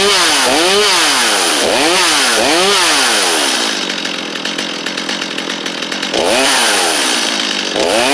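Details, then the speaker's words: Stihl 250 chainsaw: strong rev swells rising and falling, then a steady idle and another rev; saw picks up cleanly and runs healthy. "250 running though that's awesome"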